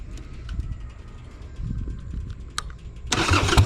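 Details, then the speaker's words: 2001 Harley-Davidson Sportster 883 Evo V-twin, on a ride after CV carb tuning, idle stop screw turned up (smelled slightly rich): fires sharply, settles into a strong, even lumpy beat with no stumble. Good throttle response; a little tuning left. "Throttle response still feels really good. Nice. I still think there's a little bit of tuning left to do on this thing, but I think we're pretty close on it now."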